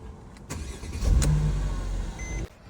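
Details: 2010 Mercedes E-class Cabriolet (C207) restarted after fitting an electronic steering lock emulator for a failing, clicking steering lock: short crank, fires at once and runs smoothly with a dash chime; clean, normal start.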